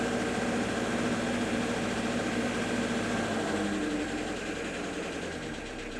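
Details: Petrol engine idling with slight throttle: faint repeating knock about three times a second, sounds like a rod knock but connecting rods were checked and ruled out; cause unknown.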